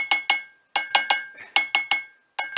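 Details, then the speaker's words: BSA A65 crankshaft cracked through the big-end journal, held in a vice and tap-tested. About eleven sharp metal taps, each a brief ring that dies quickly; the cracked side gives a duller, lower note than the good crank. "this side is making a duller lower noise than either of the two on the other crank made [Music] but the bad side the cracked side listen to that listen to how dull that is if I'd heard anything like that I'd be rather alarmed with the crank that we're dealing with here"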